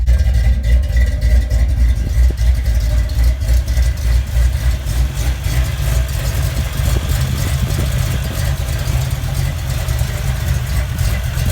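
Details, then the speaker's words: 1991 Ford Mustang Fox Body, almost 30 years old, hot day, first start after replacing spark plugs: deep steady low rumble at even idle, no misses or stumbles; started and runs fine. "okay okay it started up feeling started in fine"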